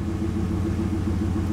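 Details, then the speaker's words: LS4 Impala SS after new plugs, wires and valve cover gaskets, cold start at idle: steady, even pulses with no stumbles. Before the repair it misfired for a while on every cold start until it warmed up; it now fires cleanly. "oh that sounds good every time I would start it from cold it would misfire for a while"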